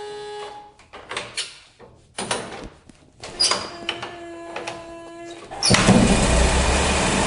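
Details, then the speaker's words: 1912 Ford Model T hand-crank start: several crank pulls with clunks and pauses, then the engine catches and settles into a steady, even run; normal start. "Voilà, ça tourne. Voilà, j'ai coupé le contact, j'arrête."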